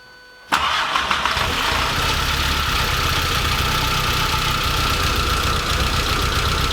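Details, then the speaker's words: Porsche 924 S with swapped VW/Audi 1.8T AEB turbo engine; owner hoped it wasn't flooded; catches after brief silence into an uneven, lumpy idle; running rough, cause unknown. "i'm unbelievably happy that this is running rough as it is like a bag of spanners but it's really running"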